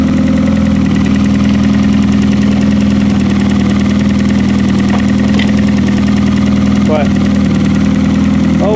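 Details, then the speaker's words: Demolition derby car engine with oil filter delete and push start, old fuel drained, oil bypass working, no leaks: steady even hum with constant pitch and no misses or knocks; normal smooth idle. "well another step done on this thing she's running she's got the oil filter delete on"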